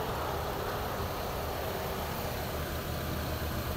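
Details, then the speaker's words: Chevrolet Aveo idling with AC on after replacing compressor that had lost compression; gauge pressure now drops, new compressor working. Steady idle, even hum, no grinding or clatter: normal compressor running. "bumaba ng ating gauge Yung pressure ibig sabihin Okay na ang ating compressor kasi bago na no"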